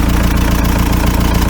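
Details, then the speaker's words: VW T3 TDI after cylinder head swap and JB Weld piston repair, v-belt refitted, timing belt cover and coolant expansion bottle still off: steady low diesel clatter at idle, even firing, no knocks or misses; sounds healthy, pretty sweet. "but uh let's just let's just have a listen and see how it's running now sounded pretty sweet to me all right"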